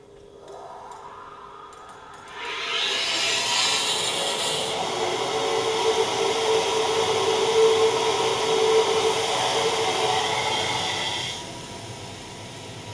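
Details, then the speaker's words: Standard equal percentage control valve trim at about 1500 psi inlet and 150 psi outlet, vena contracta below vapor pressure: loud rushing hiss with gravelly crackle and steady mid tone; cavitation noise and vibration, reduced by Cavitrol III two-stage trim. "so in the standard product that vena contracta pressure will be below the vapor pressure and you'll see quite a bit more noise and vibration occurring and the standard product as opposed to the capital control product"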